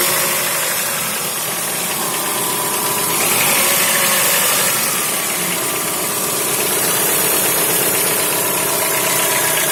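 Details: Chrysler Voyager 2.4 four-cylinder at idle: a faint, steady knock at about four per second over the engine hum; internal engine knock, cause unclear.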